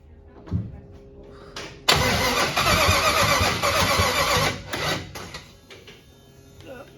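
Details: 1961 Chevrolet Impala with fuel injection, first crank test after build: starter cranks steadily, engine coughs but never runs; computer, both injectors and ignition firing; suspected ignition timing/distributor cap one plug off, possibly valves out of adjustment.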